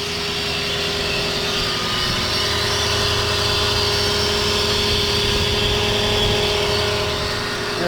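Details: Lexus LS460 V8 at idle: a steady whirring whine and busy rattly chatter from the front of the engine, from a worn serpentine belt tensioner and idler pulley bearings.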